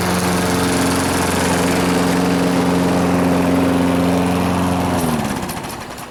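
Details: Free Craftsman lawn mower, previously taken apart and reassembled: steady, even drone at constant speed while cutting, then winds down cleanly; declared fixed.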